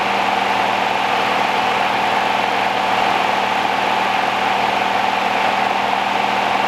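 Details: 1969 Rover P6 Series 1 3500 V8 automatic, first start after 16 years stored, on choke, fuel pump suspected dead: smooth, steady idle with an even hum and no tapping or rattle from the top end; quiet, tight, healthy engine.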